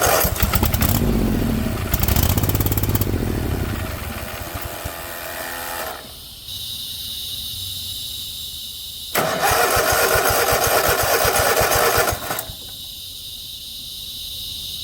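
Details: 50-inch Cub Cadet zero turn that sat a while, tank low, gives repeated cranking bursts on starting spray, catching briefly then dying each time: fuel starvation because the fuel shut-off solenoid has no power.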